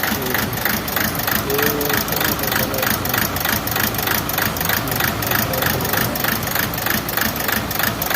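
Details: Toyota Etios diesel engine at idle: steady pulsing beat about three times a second, uneven stumble through the running noise; cylinder missing, misfire at idle.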